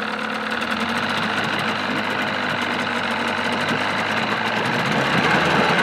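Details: 1979 Evinrude 35hp two-stroke outboard running in a test barrel with the cover on; even, steady buzz with no stumbling or misfires; running cleanly.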